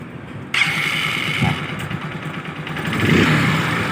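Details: Honda Supremo motorcycle, hard starting: starter cranks, engine coughs and catches only weakly, struggling to settle into a steady idle; cause not evident.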